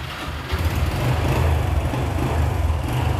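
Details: Yamaha RX 110 motorcycle, original engine, at a used-bike shop: low, steady two-stroke burble with an even beat and no misses; normal healthy idle.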